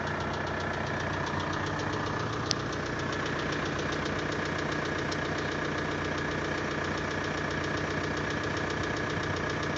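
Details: VW 1.9 TDI 66 kW diesel at cold idle: a steady knock at about 150 per minute, seemingly from the pulley side, near the valve cover. Present two years, growing louder, worse in colder weather; new lifters and injectors didn't help. Cause unknown.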